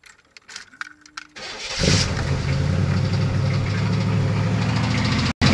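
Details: LT1 V8 started after a brief crank with keys jingling, then idling with a dull knock in its rumble: rod knock; owner building a forged 383 as a result.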